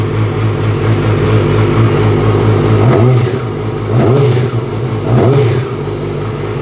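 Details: 2006 Yamaha R6 after replacing throttle cables and cleaning the throttle body for a sticky throttle: steady lumpy idle with quick blips that rise and settle cleanly; throttle responds crisply and revs freely without hanging.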